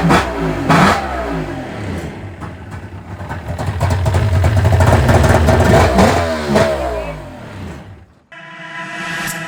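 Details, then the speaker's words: 1999 Yamaha GP1200 non-power-valve two-stroke, rebuilt with new starter, Bendix, armature, stator, crank seals, battery and TDR Waterbox after no-spark and Bendix faults: crackles up through sharp revs and settles back cleanly, no misfire; running healthy. "Got the new TDR Waterbox in there, brand new battery. And she's sounds good."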